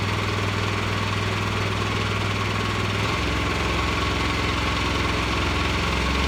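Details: Revived Vanguard 9 hp single-cylinder tractor engine after carburetor work: fast, steady idle that never drops back even with throttle switch down; throttle cable sticking and not returning, holding it at high idle.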